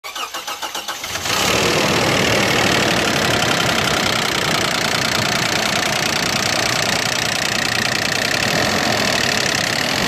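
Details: Toyota Land Cruiser Prado 120 4.0 VVT-i petrol starting cold into a harsh diesel-like rattle that vibrates the car. The rattle stops once at temperature and persists despite a new timing chain and tensioners, fresh oil and filter, and good oil pressure.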